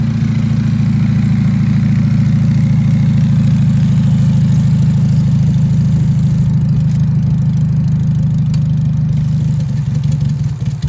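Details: Beater car being built into a turbo drag car runs a low, lumpy, uneven idle that stumbles and sags right after a sensor is plugged in for testing and leak checking (unsure which is upstream/downstream); rough running, cause unknown.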